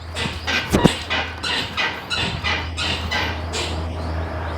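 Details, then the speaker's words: Isuzu D-Max front suspension creaking rhythmically, about two squeaks a second, when stepping into the truck or driving up slopes: dry ball joints; fixed by replacing parts. "อ่าอาการนี้ไม่ว่าเราจะก้าวขาขึ้นรถหรือรถขึ้นเนินก็จะมีเสียงดังอ๊อดแอดอ๊อดแอดตามคลิปนะครับ"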